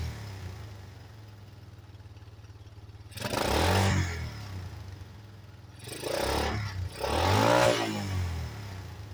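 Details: 1985 Yamaha Moto 4 on choke: low uneven idle, then two throttle blips that rise, stumble and fall back without holding revs, trying to cut out; carburetor blamed.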